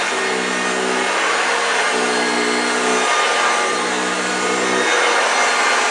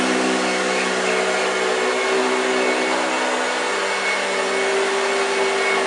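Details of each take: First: 1965 Hoover Junior 1334A vacuum cleaner running with a steady rough roar and a low gravelly growl under the airflow; the motor sounds a bit dry. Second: 1965 Hoover Junior 1334A upright vacuum, full flat demo on carpet: a steady high motor whine with an even brush growl and no rattles or surging, so it is running normally.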